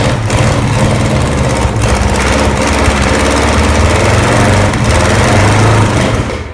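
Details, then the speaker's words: Very low-mileage 1968 Buick 430 V8 from a Riviera, first run in decades after fixing a bad ground at the distributor points, carburetor untouched: deep, steady rumble with even beat, no misses or knocks; normal running on all 8. "I've never had this carburetor apart, so I don't know what the carburetor is trying to do, but it sounds like it's hitting on all 8 for sure."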